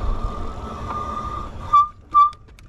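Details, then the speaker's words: Wallke H9 AWD 48V e-bike while riding: two short high-pitched squeals, each a fraction of a second, from the squeaky front right disc brake as it grabs during braking; owner plans to replace the brakes. "squeaky front right brake I'll replace those brakes I might do that today"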